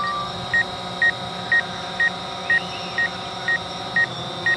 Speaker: There's that beep again, because it sees me.